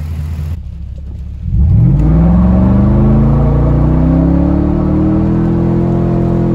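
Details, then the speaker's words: 2007 Ford F-150 V8 after replacing the spark plugs with E3 Diamond plugs: it fires up cleanly, the pitch climbs and settles into a steady, even rumble with no misfire or cutting out. Running normally. "As you can hear, she's purring like a kitten. Dustin's gonna give you just a quick sound test on her. So as you can hear, no misfire, no cutting out. Everything's doing great."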